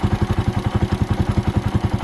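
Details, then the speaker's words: Motorcycle idle screw turned up excessively on a warm engine: fast, even exhaust beat with no dips; idle clearly set too high. "Ay talagang siyempre sobra naman pag ganun yung idle mo, no? Sobra pag ganito."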